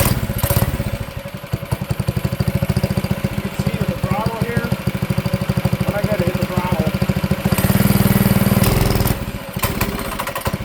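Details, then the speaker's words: Manco Streaker mini bike: choppy single-cylinder putter that sags and stumbles when throttle opens, then surges; only pulls on choke, lean carb bog; fixed by a richer jet (125). "So, it starts and runs and idles and it it'll move, but it only really likes to move under choke. So, that's a good good indication it needs a richer richer idle idle screw."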